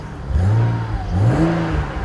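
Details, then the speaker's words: BMW E92 335i N54 with a known problem engine: it stutters into life and revs unevenly, with a lumpy chuffing run likened to a steamboat. Rough running misfire; cause not stated. "with any luck it should stutter into life yep still sounds like a steamboat a steamboat canal boat"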